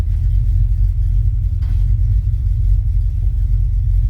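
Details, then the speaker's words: 1972 Chevrolet C10 with a carbureted small-block 350 (Carter AFB carburetor, HEI ignition), just after replacing a failed fuel pump that had passed rusty fuel. Deep, even V8 rumble at steady speed with no misses or stumbles: normal running. "Let me go ahead and start it. It's running. I need to fix those wires, but that'll be all right."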